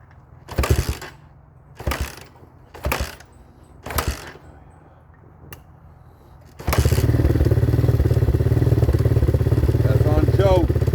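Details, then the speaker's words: 2019 Hawk 250cc single-cylinder with a newly replaced carburetor, started cold on half choke: a few cranking bursts, then a fast, steady idle with the idle screw turned up, since idle can't be set until the carburetor warms. "we got to idle it up a little bit and then once it warms up we can set the idle because you cannot set the idle with a cold carburetor"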